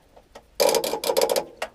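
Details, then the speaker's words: Allis Chalmers 716H with Kohler K341, first start attempt after sitting all winter: rapid chattering clicks then a single click, no cranking; owner suspects a bad connection, starter behaving a bit funny. "Probably a bad connection. Starter is a bit funny, but that's where we're ending this."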